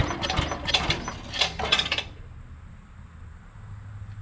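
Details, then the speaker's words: Old barn-find Craftsman 8 hp Briggs & Stratton chipper shredder, first start in years, plug cleaned, choke off, carb cleaner sprayed in: uneven pops and sputters about two seconds, then dies; fuel filter and non-ethanol fuel next. "that's a good sign let's get the fuel filter replaced and get some non-ethanol fuel in there and we'll give her another shot"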